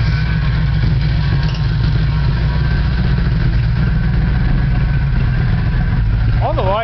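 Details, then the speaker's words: Car started at the shop: steady idle with uneven, stumbling low beat and occasional dropped pulses; persistent misfire, cause not found. "Bad car, still has a misfire, you can hear."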